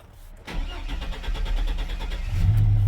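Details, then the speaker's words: Chevrolet Silverado/GMC Sierra truck after a new coolant temperature sensor was installed for a faulty reading, with starting trouble and power loss while driving: starter chugs nearly two seconds before catching, then idles smoothly; a slightly extended crank. "little bit of an extended crank. It's idling smooth."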